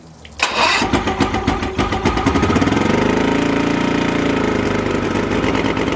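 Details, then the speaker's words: Boat engine that wouldn't idle, primer bulb hard with pressure, center carburetor leaking fuel: cranks, catches with uneven lumpy pulses, then drones roughly with no clean idle; likely over-rich flooding center carburetor. "so oh that sounded terrible and goodbye all right so this is just going to continue being a problem"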